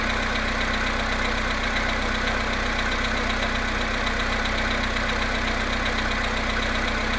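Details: VW Polo Sedan cold start at +1.5°C after standing 19 hours, 17,937 km; steady idle with light regular tapping about three a second, cold-start engine knock, cause unclear.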